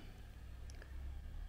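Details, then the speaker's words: Hiwatt 100R valve amp after replacing a faulty ECC83 preamp valve, channel turned fully up: only a faint low hum, no ringing, rattle or microphonics; clean and quiet. "that's pretty quiet now we've got no microphonics on there and that's flat out that channel it's incredibly quiet"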